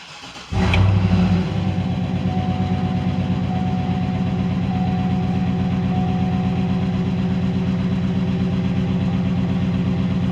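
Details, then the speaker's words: 2010 GMC Sierra 6.2 V8, about 179,000 miles, in for an engine knock: cranks, catches and settles into a low idle with an uneven, loping pulse; misfire confirmed on cylinder two, compression test next. "definitely cylinder two is got the misfire cylinder two"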